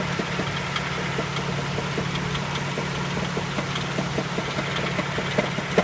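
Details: Nissan Sunny engine at steady idle: sharp, fairly uneven ticking knock about two and a half times a second; engine knock of unknown origin.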